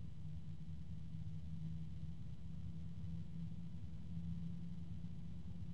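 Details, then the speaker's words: DeepCool/Logisys UF140-X SF140 140mm PWM fan at maximum speed: steady low hum with two clashing low tones and harmonic resonance warbling in and out; the noise is a bit discordant. "so it the noise is I have to say is a bit discordant and I think that for people who are sensitive to found they're going to be displeased with this"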